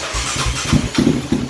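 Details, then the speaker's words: Raptor 700 ATV single-cylinder idle: rises and sags erratically with stumbling firing as the wiring harness is pushed, sometimes dying; broken harness wires with few strands left cutting in and out. "as I was pushing on that harness, you can hear the idle go up and down, and on the RPM screen you can see that jumping around, very, very erratic and with irrational numbers."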